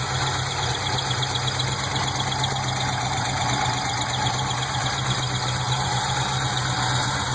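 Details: Pontiac GTO LS1 engine idling steadily with a thin high chirp, loosely repeating about once a second, from the top end, loudest directly on top of the intake manifold; source not yet pinned down.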